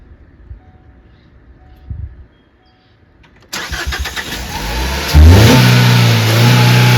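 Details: 2016 Ford Focus just after replacing spark plugs (old plugs burnt, three bad): starter catches, engine fires, flares briefly and drops into a steady, even idle with no misfire; dash shows engine OK. Normal idle.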